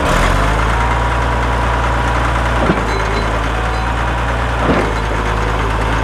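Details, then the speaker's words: Caterpillar D7F dozer at its first start in 10 years, starting within 3 seconds: a deep, steady diesel idle with an even low chug and no knocks or misses. The engine runs healthy. "Did you hear it? It sounded amazing. Like, I really didn't even expect it to start that easy."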